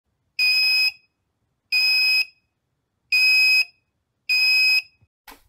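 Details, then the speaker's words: Freezer/fridge alarm flashing error 6 (low battery, 9V): four sharp, high half-second beeps about every 1.3 seconds, the low-battery warning. "was flashing error 6, which if you look in the instruction book says low battery."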